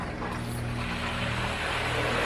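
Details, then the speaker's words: Pool pump restarted at speed 4 after refilling the pump pot, valve opened: motor hum rises and settles evenly but no water flows back in; pump running dry after losing prime. "Okay, my pump is going up, but I no longer have water flowing back in. I'm going to turn my valve off and stop the pump."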